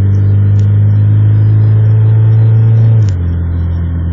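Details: EJ1 engine accelerating through town: deep steady drone that stumbles and drops off abruptly near three seconds, a hesitation or misfire under acceleration load, cause suspected, not confirmed.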